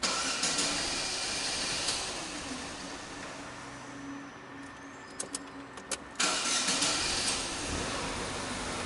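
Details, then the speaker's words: Corsa flex that would not start in the morning, after spark plug gap set and throttle body cleaned, cranks briefly and catches on the second start, settling into a steady, even idle; throttle relearn still pending. "segunda partida o papel menos do carro já funciona né"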